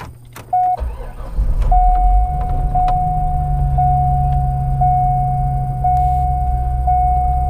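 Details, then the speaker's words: 2004 Corvette Z06 started after a repair reinstall. It cranks briefly, catches cleanly and settles into a smooth, even idle with a door chime pinging; oil pressure good, no engine lights. "sounding good oil pressure is good no engine lights yeah that's good that's really good it's uh yeah that sounded good"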